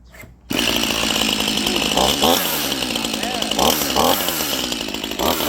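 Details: Stihl MS 181C Easy Start homeowner chainsaw after maintenance with a new chain, restarted still warm: a high, even buzz that bogs and recovers while cutting wood. It runs well, though the starter is trippy.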